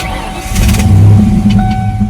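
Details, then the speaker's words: 1993 Ford Mustang GT V8, 5-speed, with a new computer, still smoking, possible head gasket: short crank, catches at once, revs cleanly and settles to a smooth idle; healthy start. "So, but idling and driving it does. It runs very smooth. God, it's running smooth right now."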